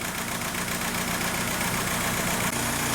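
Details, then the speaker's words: 2004 VW Beetle TDI, BEW pumpe-düse engine, with codes P1666 and P0301: the idle chugs unevenly with a recurring stumble three or four times a second. The cylinder 1 injector shows no current draw, so the cylinder is dead; a connection is suspected. "so we obviously have a missing cylinder number one here no amperage draw whatsoever"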